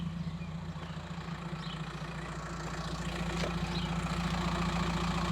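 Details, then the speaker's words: VW T5 Transporter diesel, 287k miles, idling outside with a homemade stainless exhaust; owner finds it a bit fruity and may add another box: deep, even idle at about 214 beats a minute, steady low rumble, no knocks or rattles; normal. "it's a little bit fruit here outside if it is too loud on the motorway or something I'll put another box in it another 40 quid but uh so far I'm happy with that"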